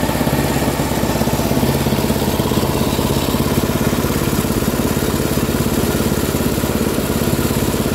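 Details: Free Craftsman 10/30 snowblower, 10 hp Tecumseh engine, being scrapped: steady even single-cylinder beat at constant speed, no misses or surging; running cleanly.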